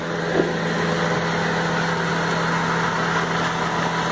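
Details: Honda Civic 2000 at about 110,000 km after a full post-purchase service (leaks fixed, valves adjusted, timing and idle set, STP additive added): smooth, even idle with a steady low hum, no misses or hunting, no leaks.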